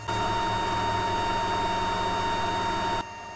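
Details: Geeetech MeCreator2 3D printer's original cooling fan, recorded directly in front of the printer: a steady high-pitched whine over an airy rush that stops abruptly. It has been loud since day one and recently started dying before being replaced.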